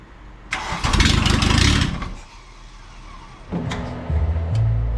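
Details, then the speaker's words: 1986 VW Jetta Mk2 1.6 MF turbo diesel, barn find, cranks hard, stumbles, then lumpy rough idle; over-fueling from injection pump timing slightly advanced, reset to spec; hard start. "all right so we think we just had the pump timing off it was over fueled we reset the pump timing to be within spec it was a little advanced actually"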